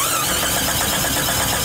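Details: Engine cranking during starter voltage drop test, fault traced to the main battery cable eyelet needing cleaning and tightening: even fast whirring crank, steady rhythm, no grinding or clicking; normal cranking.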